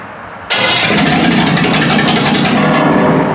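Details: Carbureted engine with a dry fuel pump catches after fuel is poured into the float bowl, then runs loud and ragged with an uneven, stumbling exhaust beat and misfires; oil floods from the oil pressure switch, and the owner suspects a bad fuel filter.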